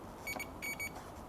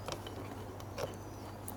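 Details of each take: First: 2002 Aprilia SL1000 Falco, about 3,500 miles, sat 21 years, not starting: multimeter gives short high beeps on fuse continuity checks; fuses are good, so the owner next suspects the tip sensor. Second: 2002 Aprilia SL1000 Falco V-twin, about 3,500 miles, sitting 21 years, won't start; booster connected, bike drawing current while fully off. Quick, uneven sharp clicks over a low hum: dash relay chattering with ignition off, cause unknown.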